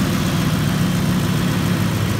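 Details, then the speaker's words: 2005 Ford F-150 5.4 L after power steering pump replacement and air purge: deep, smooth, even idle with no whine or groan; power steering pump quiet, night-and-day difference from before; normal idle. "all right so I think we have as much air out of it as we're gonna have um night and day difference here as far as the sound goes"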